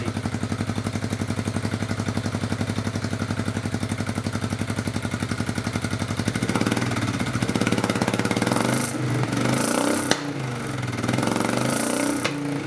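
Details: Honda Bros RC31 V-twin just fitted with a Fuel F1R stainless road exhaust and short 250mm can: steady deep thump at idle about three beats a second, then clean light blips, not revved hard; healthy, louder note, about 90 dBA.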